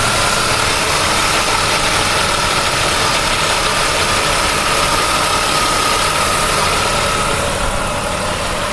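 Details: 1999 Pontiac Firebird at idle: thin high whine over a hissy, busy background; owner hears something a little loose, source not pinned down.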